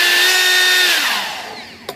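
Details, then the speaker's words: Durafly DH 100 Vampire Mk 6 EDF fan after balancing, having been badly out of balance and rattling: clean, even high whine with no wobble or buzz, dropping smoothly in pitch as throttle is cut; balanced fan runs smoothly. "balancing a fan wow that's a pretty pretty big Improvement"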